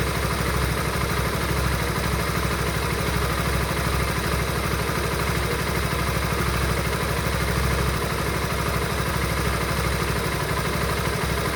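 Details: Honda Supra GTR 150 single-cylinder bike idling with an uneven clattery patter, about three ticks a second over the exhaust beat; source of the odd noise unclear.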